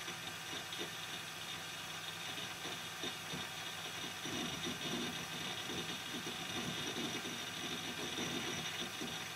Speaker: yeah as you can hear the most noisy guys the hdd this window is starting it's using a lot of read and write cycles